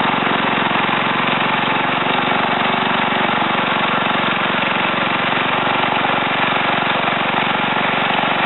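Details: Ariens TA20A Trans-a-matic rototiller after engine rebuild and plate-clutch repair, carburetor untouched, run in a wooded area: steady, even single-cylinder chatter at constant speed, no misses or knocks; normal running.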